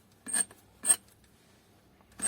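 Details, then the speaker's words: Kyocera ECOSYS M2030 printer with a non-original compatible drum, which is suspected as the cause; the drum gives three short, shrill rubbing squeaks when turned, and there is debris inside. "так посмотрим что из себя представляет совместимый барабан наверное слышно как скрипит"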